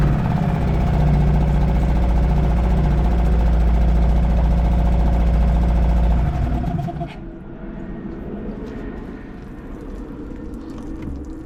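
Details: Suzuki DF 2.5 HP outboard, run on a cooling-water bucket with oil hovering at the sight glass's lower limit; smooth, even putter at idle for six seconds, then shut off. Healthy.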